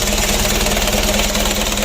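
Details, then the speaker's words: Rebuilt Mitsubishi 4D34 120 PS diesel, manually serviced injection pump, first start after full engine assembly: steady even diesel clatter at idle with regular firing beat, no knocks; engine running healthy, oil looks good, break-in to follow. "Oke mas, coba di starter mas. Untuk mesinnya sudah hidup."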